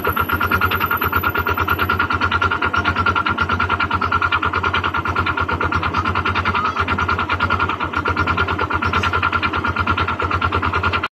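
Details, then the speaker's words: Honda Click 125 FI scooter engine before overhaul; hard rapid knocking over the engine note at steady revs; connecting rod knock inside the engine. "before ko perinig sa inyo, guys, ang final tunog ng kanyang makina ay siyempre parinig ko muna ang tunog ng makina ng kanyang makina na hindi pa natin siya in-overhaul. So ito yung tunog na, guys, pakinggan nyo."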